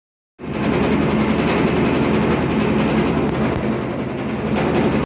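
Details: GE top-load washer that suddenly became noisy: loud steady rumble with an uneven rattle through the run. A plastic piece on the side of the tub was found disconnected; reconnecting it is expected to fix the noise.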